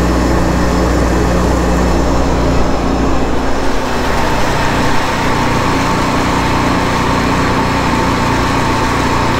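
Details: 2009 Sea-Doo Speedster 150 after replacing failed intercooler, oil and filter, during boil-out procedure, engine at 171° and zero faults: smooth steady drone holding even speed, no knocking, rattling or hunting; normal running.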